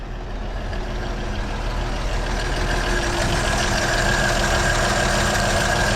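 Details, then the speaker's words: 1937 Chevy Master Deluxe Coupe, long sitting, just started cold after battery charging, about 18-20 oil pressure: steady, even low rumble with a smooth regular beat and no knocks or misses; normal idle. "Like a charm. Fired right up. Sorta. I'm just glad I got it before the sun went down."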